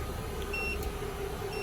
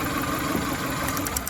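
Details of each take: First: 2000 Toyota Camry four-cylinder after replacing the faulty injector that caused the cylinder 3 misfire (P0303): steady, even idle with no stumbles or missed beats, a few light chime beeps over it. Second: 2000 Toyota Camry four-cylinder at idle with code P0303: uneven, lumpy idle with irregular stumble, cylinder 3 dead; injector suspected, tested by swapping injectors 3 and 1.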